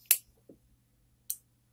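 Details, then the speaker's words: Soundking J215A power amplifier powered through a light bulb limiter with a load connected: faint hum, then the output protection relay clicks at switch-on, suggesting no DC at the output; normal. "Реле щелкает. Раз релюшка щелкнула, значит, с большой вероятностью постоянки на выходе нет."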